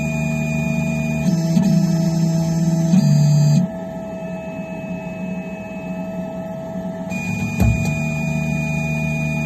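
Steady motor hum and stepping tones, then one sharp, loud pop cuts through near the end; the cause can't be told by ear.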